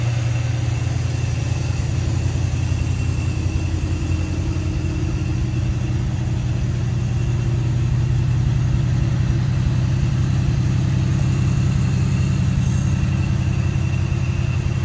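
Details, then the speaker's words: 1981 Corvette Turbo just started after 30+ years of storage: steady, even V8 idle with no knocks or misses; oil pressure good, alternator belt missing, smoke from old debris on the exhaust and spilled oil. "she's running very nicely oil pressure is good yeah of course no battery because the driving belt through the alternator is gone"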